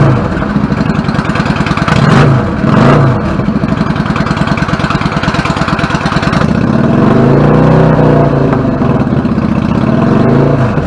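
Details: 1999 Yamaha V-Star 650 Classic, 650cc V-twin with twin carbs and 16K miles, after cleaning pilot jets clogged from sitting: an even, steady idle that picks up cleanly on throttle blips and drops back smoothly with no stumble; fixed.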